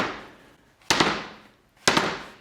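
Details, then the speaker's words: Old Yellowstone Park stagecoach wheel from an 11-passenger coach, cracked spokes, dropped onto a concrete slab: two dull drops, flat clatter dying away without ringing; steel tire is loose on the wheel. "平らな音がするかわかりますね。"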